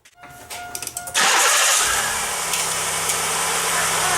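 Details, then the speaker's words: 1995 Pontiac Grand Am 3.1L V6 with new replacement starter, 28-thousandths (1/32 in) shim fitted; thin high squeal over brief cranking and key release, then engine catches and idles; starter squeal on key release, clearance still off. "Still making that high-pitched squeal when I let off the key. Oh, I don't like it."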